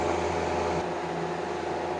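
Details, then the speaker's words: Reznor unit heater, thermostat switched from Auto to On for a fan test: steady even whoosh of air with low hum, no rubbing or ticking; fan runs normally. "now we're going to test the fan just to make sure it works so we're going to go from Auto to on and yes our fan is"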